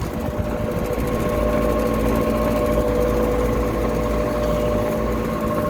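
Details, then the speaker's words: Old Lennox AC condenser, no-cooling call, high-pressure switch tripped: fan motor runs with steady drone, thin whine and rough rattle from worn bearings; tech expects it to stop soon and plans to replace it. "that's a bearing noise from that motor that motor's gonna run for a little while and stop i can almost guarantee it"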